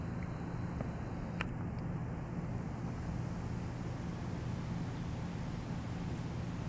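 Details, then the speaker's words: Original 52" NuTone Decorator ceiling fan, about 10 ft up on a 2–3 ft downrod, wall-switched, believed on low in reverse: quiet steady low hum with no ticking, rubbing or wobble; turning smoothly. "so I will turn it on now I think it's on low on reverse but here we go"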